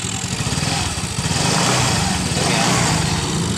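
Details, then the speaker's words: Yamaha FreeGo scooter with a dead ECU fuel-pump ground, run on an external ground wire via a relay instead of replacing the ECM: engine fires and keeps running with a steady busy putter that smooths out after a second. "ini kita tempel di sini ya motornya di starter motornya hidup ya"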